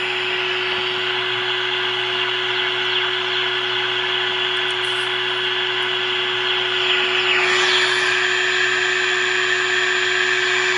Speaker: by the way you hear that sound going that is actually coming from the standby of my arbitrary waveform generator